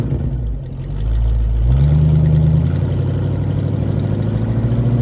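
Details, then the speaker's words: 1973 Ford Mustang fastback with points ignition, revived after 30 years in a yard, running with fuel: picks up and settles into an even idle pulse around 220 a minute, no misses or knocks; healthy normal idle. "man listen to this thing now sounds great okay engines happy"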